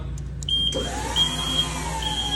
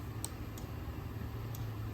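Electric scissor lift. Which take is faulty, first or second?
second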